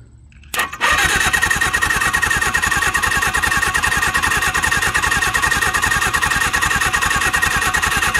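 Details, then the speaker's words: Suzuki GS750 (stated as both 1983 and 1977), seized and unrun for about 41 years: steady starter cranking at about 2.5 turns per second with a few weak firings that never catch. Cranks but will not start. "no what we got oh that almost sound like it was going to go for a minute there"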